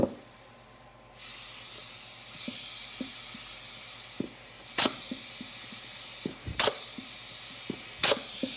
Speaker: one's good it sounds like it's leaking but it's it's just this darn thing is worn out i need to get a new one